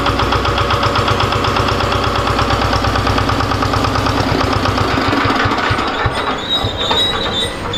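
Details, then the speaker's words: Diesel generator with AC alternator smoking heavily at start: engine thumps at about four beats a second, then labors and sags near stalling under heavy drag from the alternator, attributed to shorted diodes or touching coils. "जैसा कि आपने देखा जट जैसे चालू हो रही है तो फिर काफी ज्यादा लोड प जा रही यानी कि मशीन बंद होने लग रहा है"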